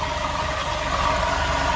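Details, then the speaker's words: Dodge Durango with Hemi engine at idle: constant rough growl and mid-pitched hum from the belt-driven accessories; mechanic says it doesn't sound like the alternator someone replaced and suspects a misdiagnosis, cause unconfirmed. "I don't feel growling coming from this thing. I can sense it's coming from here. Somebody misdiagnosed this car."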